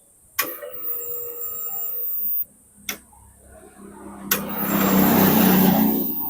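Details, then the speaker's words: Yamaha Mio J scooter with lost ignition, key switched on, microphone on the fuel tank, pressure gauge moving: steady buzzing hum for about two seconds then stops; the fuel pump primes normally. "Oke, bisa didengarkan teman-teman bahwasanya untuk full pumpnya sudah berdengung."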